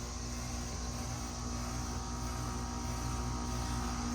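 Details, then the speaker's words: 2010 Payne 5-ton R410A air conditioner with a Copeland scroll compressor, outdoor unit. Steady low hum, even fan whoosh and a faint light rattle. Normal compressor running. "And yeah, it's got an awesome scroll sound. Oh yeah, my favorite unit. An awesome scroll sound."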